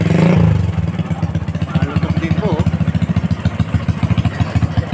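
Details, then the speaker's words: Honda Wave 125 streetbike with clutch conversion and a 57 carb, weak battery so kickstarted: starts on one kick and settles into a deep, even single-cylinder thump, about three beats a second, healthy exhaust note at idle. "Guys, so kita nyo, isang kick lang siya. Yan ang tunog ng kanyang pipe."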